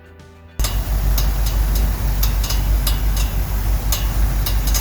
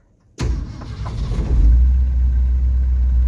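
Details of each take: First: 1969 Ford F100 V8 idling after coil wire replacement: steady rumble with sharp, uneven slapping clicks about three a second as the cooling fan strikes the radiator shroud; pulling it back stopped it. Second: 1969 Ford F100 after cleaning up the coil wire, fixing a bad ground wire and adjusting the timing because the starter dragged when cranking: short crank, then a clean catch and steady, even low rumble. Normal engine start.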